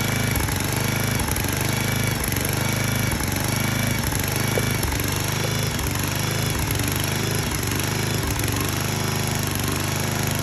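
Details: 34-ton log splitter's small single-cylinder engine, running after fuel line blown clear and brake cleaner used to start it: steady, even beat with no stumbles or misses; normal running.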